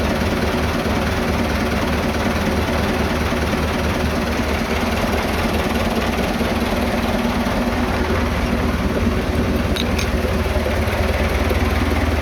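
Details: Vintage diesel tractor (the "77") that wouldn't start after sitting two days; tank found with zero fuel, refuelled and lift pump primed. Steady clatter holds an even pace throughout, no stumbles or surges. Runs cleanly.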